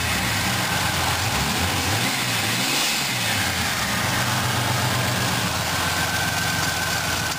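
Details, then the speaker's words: 1985 Chevy Celebrity Eurosport, turbocharged first-generation fuel-injected 2.8 V6, on its first warmup. Loud, raspy, open-sounding exhaust at idle that swells and rasps harder on revs. Broken exhaust system leaking. "Well, I got this engine started up. Sounds pretty good, other than the broken exhaust system."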